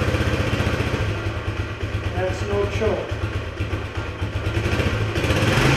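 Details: 1976 Honda XL175 kick-started stone cold without choke on 10W-40 oil, carb suspected slightly gummed as it now needs two or three kicks; steady single-cylinder thumping, slightly uneven while warming but holding a fair idle; normal running.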